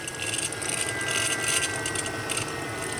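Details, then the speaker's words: BMW X5 E70 N55 six-cylinder twin-turbo after expansion tank replacement, vacuum-filled cooling system bleed: steady high electric whir of the electric coolant pump running at higher output through its staged air-purge cycle, battery drawn to about 10 volts. "is over on that side of the engine and it is now running at a higher output it's going to go through different stages to help purge all of the air out of its system"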